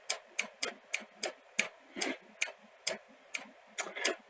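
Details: Sony SL-C30 Betamax before the fix, still failing after the backup capacitor was swapped: sharp, regular clicks about three a second as the loader cycles without taking the tape. Cause was a misaligned loading microswitch.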